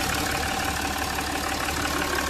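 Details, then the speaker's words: Jaguar XF diesel after repair of a cylinder 1 misfire (P0301) and oil leak with injector work and a valve cover gasket: a steady, even idle with a smooth low hum and no knocks or misses, completely silent. "बिलकुल silent है।"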